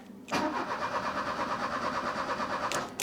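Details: 1984 Opel Ascona 1.6S, 90 hp, with fuel poured directly into the intake: steady starter cranking over two seconds with no firing; fuel pump not pumping, owner suspects pump or stuck float valve.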